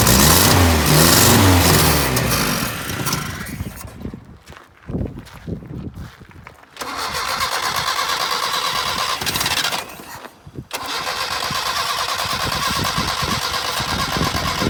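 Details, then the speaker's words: 1978 Datsun 1500 Ute GN620, long-parked, fresh fuel added, testing whether the mechanical pump draws from the rear tank: long steady cranking bursts with brief catches that never settle; crank no start from fuel starvation. "And let's see if we can actually get it running for a bit of length of time, and then we'll work out why the fuel wasn't running coming from the back of the tank."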